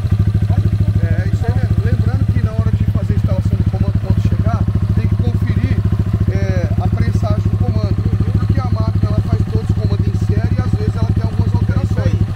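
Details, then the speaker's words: Honda Fan 160 (CG 160) after fitting a silent prepared cam, valve clearance set at 15: steady single-cylinder idle with fast even pulses and only light stock-like valve tick; clearance right, nothing abnormal. "casou com 15 e olha o barulho mano pode chegar perto mais proso original Man"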